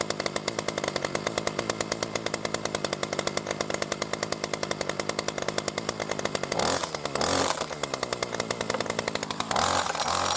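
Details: New B&Q 25cc petrol two-stroke strimmer at first start after 3–4 primer pumps, getting fuel through: a crisp, rapid, even buzz at steady speed with a couple of brief blips, running smoother. Normal running.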